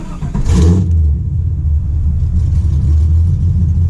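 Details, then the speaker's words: 1996 Impala SS with LS1 swap, after re-plumbing the deleted PCV vacuum line: short blip, then deep, steady V8 idle holding even speed on its own, no hunting or hissing; owner unsure whether IAC relearned or PCV vacuum fixed it; normal idle. "It's idling. All by itself. Look, Ma, no hands."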